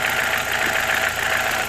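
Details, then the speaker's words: BMW E46 with N42 petrol engine idling with a faint, uneven knock that comes and goes intermittently over steady running; owner wonders if it is the Valvetronic motor. "Может что знает подскажет что за звук он периодически появляется"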